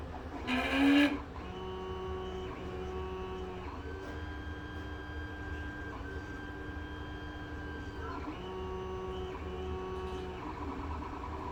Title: CR10 S5 GRINDING NOISE PROBLEM